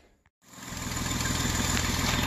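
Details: 2009 Jeep Wrangler 3.8L V6 manual after repairing cylinders 2 and 5 misfire (no spark from coil, PCM driver burnt by shorted coil circuit): catches after brief silence, settles into smooth even idle.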